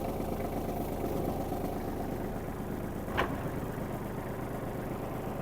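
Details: Kubota GL-29 mini tractor, 29 hp three-cylinder diesel, with the rear rotary tiller engaged and throttle added: a steady low drone with an even rhythm and no clunks or grinding; tractor and tiller run normally.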